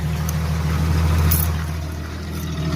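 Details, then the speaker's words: Jeep ZJ with new muffler replacing rusted, rock-damaged one; deep smooth steady exhaust rumble at low revs, not too loud, no rasp, drone or leak; normal exhaust note. "a little 250 pounds doesn't sound too loud over here either it's kind of nice"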